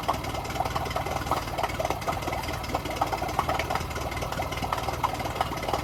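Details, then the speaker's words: Yamaha 9.9 HP four-stroke outboard in test tank, nearly cut out when choke pushed in, choke pulled back: low uneven idle with loose knocking beat, barely holding; fuel starvation, no fuel getting through, primer bulb suspected. "So it almost cut out as I put the choke in. As it was cutting out, I quickly pulled the choke out, and sounds like it's just about idling. But yeah, it's all about the fuel. There's no fuel getting through."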